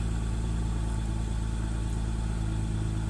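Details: BMW X6 cold start, first start of the day, no error codes, rpm dropping from about 1000 to 800: deep slightly lumpy idle that never smooths out; rough idle, mass airflow sensor suspected, not confirmed.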